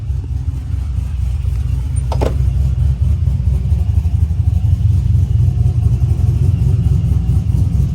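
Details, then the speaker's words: Small cam tuned for lope using 5 degrees of idle timing swing (10 degrees was too choppy): deep, steady idle with an even, deliberate chop about four times a second, balanced between natural and artificial lope; tuned cam idle lope. "that's a pretty good balance between being too choppy and a natural Sony cam 10 degrees was pretty aggressive as far as the the choppiness goes but yeah I think that's a good balance five degrees"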